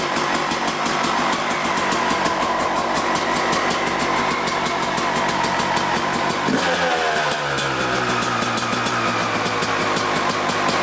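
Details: Suzuki RM250 two-stroke dirt bike after repacking the exhaust silencer, first start on the channel: crisp rapid ring-ding holds steady then drops back smoothly to an even idle, clean firing, no rattle; normal running.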